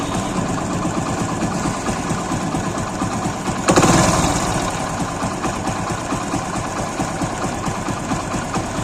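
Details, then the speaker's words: Single-cylinder engine after timing chain work and replacement of the defective chain roller and its nut; now an even, steady idle thump with no chain clatter or ticking. The earlier timing-chain-like noise was caused by the defective roller. "आवाज नहीं आ रही किन किना type की आ रही थी verse नहीं आ रही है"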